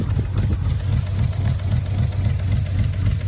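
Uneven, lumpy idle with irregular low thumps and a faint steady hiss on top; sounds like a misfire, possibly with a vacuum leak.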